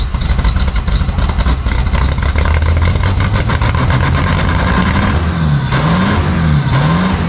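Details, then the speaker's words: 1950 Pontiac Chieftain, 249 cu in L-head Silver Streak straight-8, after long storage, valves cleaned and fuel shut off, started with starter fluid; steady, even idle picking up cleanly on quick revs and settling back: normal idle and revving. "that sounds great we've cleaned off the valves and the engine runs well now"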